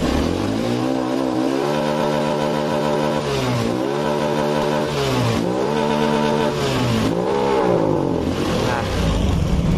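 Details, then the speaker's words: Honda Beat Pop scooter with a faulty throttle position sensor, revved at half throttle: revs up and falls back cleanly with smooth rising pitch; normal at part throttle, the fault shows only at full throttle. "kalau kita putar tuas gas nya setengah tidak sampai volt ini normal"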